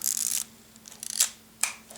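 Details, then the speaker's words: Cleaned thrift-store film SLR, about mid-1970s (Nikon FE or Asahi Pentax K2), shutter lock undone: crisp mechanical snap then short clean clicks, even and unhesitating; shutter and mirror cycling smoothly. "sounds good, sounds smooth."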